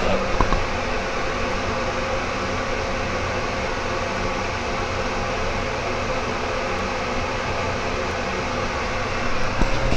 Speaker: this is the original fan that the builder put in this house 15 years ago it's a cheapo loud fan see if you can here would it hear what it sounds like turn it on here i have a lapel mic